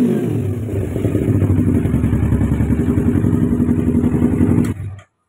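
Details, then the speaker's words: Kawasaki Ninja 250R FI after replacing the ECU to cure top-end stutter, power loss and exhaust popping/flames: even, steady free revving to the limiter with no stumbling or popping, pulling lightly and cleanly. "nah seperti yang sahabat biker dengar sekarang jadi ringan ini tarikannya"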